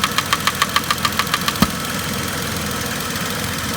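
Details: 2010 Vauxhall Corsa 1.0 Ecoflex three-cylinder replacement engine at idle: regular tapping about three per second stops abruptly as the swirl flap vacuum pipe is pulled; worn inlet manifold swirl flaps rattling, not engine knock.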